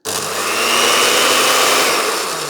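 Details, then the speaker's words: Older charity-shop blender, passed earth test: steady high even motor roar from a clean start, also pulsed, with no rattle, grinding or wavering pitch; normal blender motor. "That sounds pretty good. And the pulse. Okay, well that's quite a good blender."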